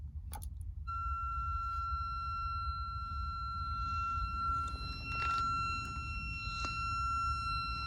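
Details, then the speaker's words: Kenwood TS-430S ham radio on a 10 A, 13.8 V supply through a cheap connector, ungrounded: a clear, steady high whistle near 1.3 kHz comes on at power-up over faint clicks. The owner wonders whether grounding is needed; cause unknown. "Why is my Kenwood TS-430S making this sound when I power it up and turn"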